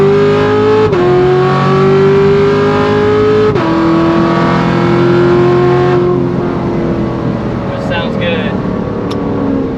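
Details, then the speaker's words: C7 Corvette Grand Sport LT1 with 650 hp supercharger package, factory tires, manual-mode pull in 2nd, 3rd and 4th: pitch climbs steadily through each gear, drops sharply at every shift, then eases off; clean, healthy, shifts great. "Shifts great too. I mean, this really is the perfect daily driven package for you LT1 owners out there. Drives like stock until you get on it."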